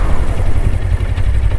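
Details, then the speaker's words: Suzuki GSX250R fuel-injected bike after FI light repair, idling after a brake stop on a test ride. Low, steady burble holding an even idle with no stumble or die-out; no stalling. Normal idle. "no stalling huge plus that is a big plus definitely a big plus"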